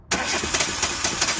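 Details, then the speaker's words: 2013 Chevrolet Spark 1.2 with code P0352 and a severe misfire; the ignition coil pack was already replaced without success. Runs rough with an uneven, lumpy beat; no spark on cylinders 2 and 3, suspected wiring fault: misfire from no spark on two cylinders. "El problema de que no hay chispa en los 2 cilindros. O sea, cilindro 2 y 3 sin presencia de chispa."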